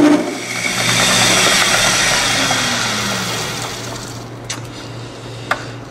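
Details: Lathe turning a crankshaft for a two-cylinder horizontal four-stroke model engine: loud, harsh rattling buzz during the cut, fading as the pass ends; tool chatter, owner suspects tool overhang rather than crank overhang.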